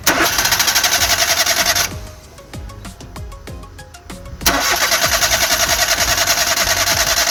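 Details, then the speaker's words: 3-cylinder car with three ignition coils, all spark plug leads disconnected: the starter churns evenly at about three and a half beats a second but never fires; crank, no start from no spark. "എന്തായാലും start ആവത്തില്ല. എന്തായാലും ഞാൻ നിങ്ങളൊന്ന് വെറുതെ കാണിക്കണമെന്നേ ഉള്ളൂ."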